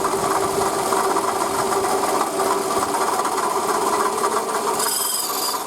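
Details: Toyota Camry 40 2008, 2AZ-FE 2.4 L, 176,000 km, original water pump and idlers: fast uneven light clatter, about three knocks a second, over busy engine hum; worn water pump knock, fixed by replacing pump, belt and coolant.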